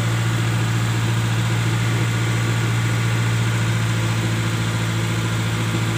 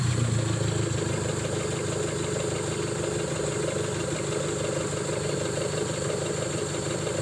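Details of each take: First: Colt T120SS: steady raised busy idle, no dip or settle; rpm stays high because worn throttle valve lets in extra air. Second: Colt T120SS with a stuck-high idle caused by a worn throttle valve, after the throttle body was refitted: steady, even idle with a soft low pulse and no hunting; rpm now stable, normal idle.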